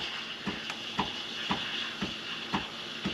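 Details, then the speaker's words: Milk being steamed on a Breville Infuser/Barista Express for a latte; steady high hiss with soft regular chirps about twice a second as air is drawn in to make microfoam before the milk heats; correct milk steaming aeration. "Okay, that sound that you're hearing, that's kind of like what you want as you're steaming the milk. That sound right there, that's adding the air into the milk and creating the microfoam."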